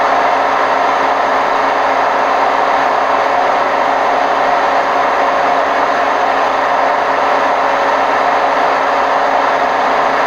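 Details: Hotpoint WMF760 washing machine on spin program, May 2018: constant rushing roar holding unchanged at high spin speed, from worn drum bearings.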